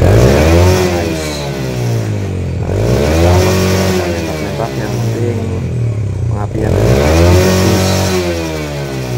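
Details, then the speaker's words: Yamaha Jupiter Z after a scrap-zinc-sheet fix for popping on deceleration, plus a good spark plug; kick-started. Clean free revs with a full, steady exhaust note, no longer split "stereo", and no popping on throttle closing. Healthy. "diengkol suaranya sudah berbeda ini jadi nalpnya nya itu enggak seperti stereo ya Tadinya kan seperti stereo karena bercabang nah ini full keluar"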